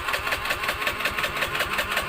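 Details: Honda Beat FI with a severely weak fuel pump, fed from a hand-pumped pressurized infusion bottle instead of the pump: quick even putter with light ticking, holding a steady idle once fuel pressure is restored. Normal idle.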